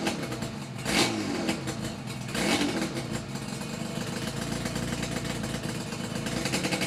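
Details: Yamaha RD350YPVS F2 two-stroke twin after full rebuild (all bearings, seals, rebore); plugs were loose on first run. Crisp blips up and settling back, even crackle through the rev range, no knock or rattle. Normal revving, quiet engine.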